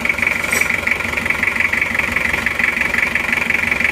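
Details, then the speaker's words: Toyota Kijang diesel (Panther engine) after an overhaul with new liners, still being broken in after 3 km driven, with clean exhaust smoke. Even idle with a light, regular clatter and no misses or knocks; normal diesel idle that sounds very good. "ini adalah bunyinya mesin Panther mesin Kijang diesel ini setelah kita pakai sejauh 3 km ini bunyinya seperti ini teman-teman ini masih akan kita rayon karena ini linernya baru Saya rasa untuk suara sudah bagus sekali"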